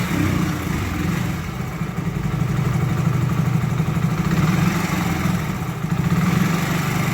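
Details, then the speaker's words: Hero HF Deluxe BS6 single-cylinder bike with a starting problem, running after fuel pressure was restored: chuffs along at a steady low idle, no misses, knocks or hunting; normal idle after the fix. "Okay friends బండి అయితే start అయింది start చేయండి బండి అయితే start అయింది"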